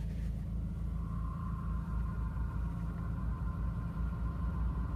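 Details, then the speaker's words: Ford Focus with 48,000 km at idle: a steady high whine sets in once the clutch pedal is pressed, probably the clutch release bearing/actuator; clutch replacement planned. "bem como esse barulho a gente vai tentar achar e provavelmente provavelmente barulho da nato na embreagem atuador"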